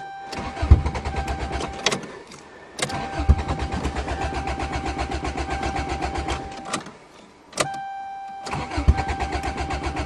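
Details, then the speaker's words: Toyota GTS with no exhaust, cold December start in snow: repeated bursts of starter cranking with pauses, and the engine never catches. The owner blames the missing exhaust and lack of back pressure for the hard cold starting; this is unconfirmed. "Cars with no back pressure and no exhaust are always hard to start in the cold. Oh, I don't believe it."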